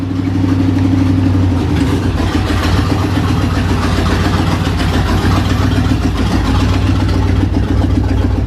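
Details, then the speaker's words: $400 Chevrolet Silverado with the muffler removed: loud, deep, choppy rumble with a raw rasp and nothing damping it at idle and light revs; the exhaust is running open. "since we got this off and we let all the horse powers off let's take her for a ride and see if it's any better see what she sounds like with no muffler"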